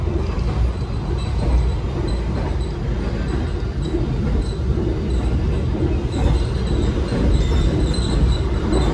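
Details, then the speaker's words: Inside a 2016 new-image economy coach on KA Banyubiru, Solo–Semarang, at about 97–100 km/h: steady low rumble with faint squeaks and odd ticks over wheel noise; passenger suspects the roller-blind curtain ticking, not confirmed. "Cuman ya ini kedengeran nggak sih bunyi nyik ledak. Kadang tuh ini nih yang bunyi tek tirainya ini roller blade-nya biasanya bunyi tek kalau di lintas utara yang arah Jakarta tuh berisik banget."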